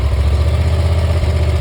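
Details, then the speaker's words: Dixie Chopper 2550 mower after fixing no-start caused by bad PTO switch: starts right up and settles into a steady, even low rumble with no misses or knocks; healthy idle. "What's that? Starts right up. Does what it's supposed to"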